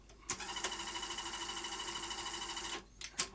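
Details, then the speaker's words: Sony SL-HF100 Beta HiFi video recorder, tape inserted; steady high motor whir with fast regular ticking for about two seconds then abrupt stop, lacing intermittently fails, tape stuck; loading mechanism failure from a split gear. "and it won't give me my take back okay clearly we have a failure of the loading mechanism"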